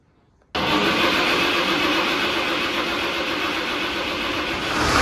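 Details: 6-cylinder Fordson Major diesel tractor puller on a test start after upgrading to a ceramic twin-plate clutch, run with no air intake on the turbo; it catches instantly and settles into a strong, even run with a slight rise in load at the end; healthy.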